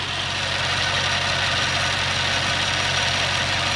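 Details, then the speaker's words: Toyota Soarer (Lexus SC400) 1UZ V8 with a misfire suspected injector-related, idling with hissy top end and uneven ticking about four a second that doesn't settle; noise persists, cause not yet confirmed, injectors to be pulled. "they just run a little bit ritchie's early one they'll let this function relatively fine that noise is still there yeah it is"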